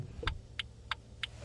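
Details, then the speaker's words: Motorcycle turn indicator on over a low engine hum: crisp regular ticks about three per second, a deliberate sound telling the rider the indicator is on, from a flasher relay on older bikes or an artificial speaker sound on newer ones; normal. "तो देखो यह sound जानबूझ कर दिया जाता है ताकि rider को पता चल सके कि गाड़ी का इंडिकेटर ऑन हो चुका है"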